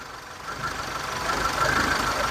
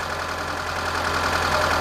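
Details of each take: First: 2006 Mitsubishi Lancer with waste spark ignition, hard starting, loss of power and poor acceleration: engine idles with an uneven, stumbling random misfire, traced with a test light to a leaking spark plug wire needing replacement. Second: 2006 Mitsubishi Lancer with waste-spark ignition, after replacing ignition coil and plug wires for misfire, rough start and loss of power: steady, even idle with a smooth low hum and no stumble or skip; misfire fixed. Normal idle.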